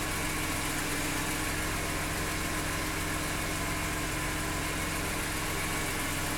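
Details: BMW E46 M3 at idle: steady idle with a light, fast, even tick over the engine hum; ticking noise of unclear cause.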